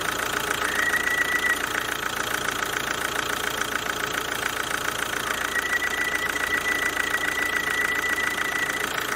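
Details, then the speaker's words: Kia Ceed 2.0 CRDi 140 hp diesel running: a thin, high, steady squeal from the oil-lubricated vacuum pump on the alternator, leaking air. Rollers, the alternator bearing and the A/C compressor bearing had already been replaced without curing it. "generalnie Co oprócz rzeczy pracujących jest wałek rozrządu który się kręci ale gdyby wałek piszczał to już by go nie było na alternatorze jest pompa vakum która pracuje w oleju"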